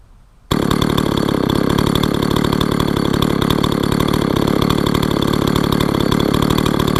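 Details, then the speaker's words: Husqvarna 162 SE chainsaw revived after sitting for years: rapid, busy two-stroke idle at about four pulses a second with a steady rasp, while the chain keeps spinning at idle; chain creep, worn clutch springs suspected but unconfirmed. "One other thing I've noticed is it doesn't like to stop spinning the chain at idle. Absolutely no idea why. Maybe those clutch springs are a bit worn out, but other than that, I've got no ideas on that."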